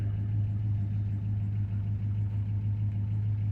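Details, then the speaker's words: 1969 Dodge Dart GT V8 revived after nearly 12 years sitting, with a new carburetor, idling in neutral on a 105°F day. Deep, even, smooth exhaust rumble with no knocks, misses or surging, the manifold isn't smoking, and it is charging: normal idle. "That exhaust note sounds pretty good. So far, the manifold's not smoking, so that's good."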